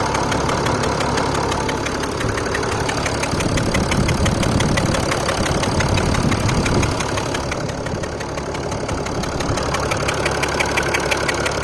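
Steady diesel idle with a light, even metallic tick about three times a second over the clatter; this tick is normal for the engine.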